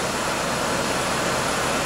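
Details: 2001 GMC Sonoma 2.2L with replacement engine, first start after install, about 89,198 miles, heat on hot, fan and AC off: steady even idle, smooth unbroken hum, no knocks, ticks or misses; normal idle.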